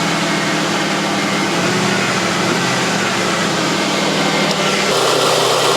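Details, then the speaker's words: Mercedes W123, unused in the garage for a long time, battery reading 9.9 V and started without a jump: steady, even idle hum with no knocks or misses and a small pitch step near the end. Normal idle. "let's see if the old top done can do the business oh I have missed that noise so much love that"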